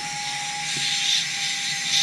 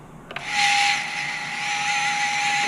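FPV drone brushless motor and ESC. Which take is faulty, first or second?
second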